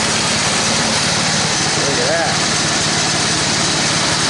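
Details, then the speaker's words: Toro 824 snowblower after carburetor replacement (it had stalled, started hard and wouldn't stay running): fires after priming and holds a steady, even buzz with no surging. "Well, she fired up. She stayed running. I was able to put her in all the gears and run the augur without it stalling out like it used to."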